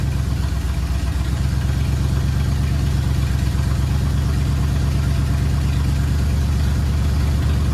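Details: 1979 Ford F100 V8, sat ten years, idling after cleaned carburetor installed: steady, even low rumble with smooth regular firing beat, no misses or knocks; normal healthy idle.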